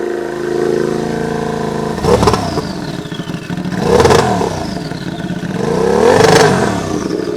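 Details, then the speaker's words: Royal Enfield 650 with stock pistons, forged rod and a Garrett turbo: three sharp rev blips, each followed by a clean high whistle falling away as the turbo spools down. Normal turbo whistle. "Fred, t'as le contour ici. Hein. T'entends le sifflement?"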